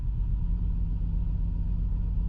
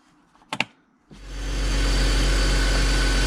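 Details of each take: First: BMW E53 X5 with M54 straight-six idling low and uneven with a stumble, rocking the vehicle, check engine light on; misfire code traced to one cylinder's faulty ignition coil, to be replaced with a new coil. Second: BMW E53 X5 M54 straight-six after replacing a failed ignition coil that caused a cylinder misfire, rough idle and check engine light: click, then smooth even idle about six seconds, no misfire; problem solved, normal idle.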